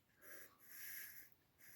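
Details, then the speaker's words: 1974 Citroën GS Spécial hydropneumatic height corrector, freed and worked by hand: three soft breathy whooshes of air moving back and forth; corrector moving freely, no longer stuck. "It's free. You can actually move it outside, inside like this. You can also hear it, how it forces the air back and forwards in there. So this is a height corrector that is not stuck anymore."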